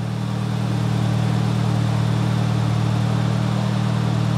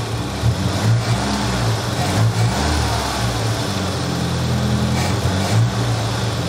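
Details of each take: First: Nissan 200SX turbo being inspected, MAP sensor unplugged so it runs in limp mode, as it always does: even, steady idle with smooth low pulse, no knocks or misfires; normal idle. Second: Nissan 200SX turbo, MAP sensor unplugged so it runs in limp (safe) mode: low, uneven idle with dull throb and occasional surges, no turbo whistle; limp mode from unplugged MAP.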